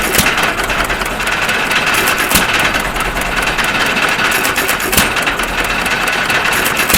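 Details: 1.5 HP Stover CT1 hit-and-miss engine running again after magneto and timing adjustments: sharp single firing pops a second or two apart over clattery mechanical running, mostly misses; runs properly.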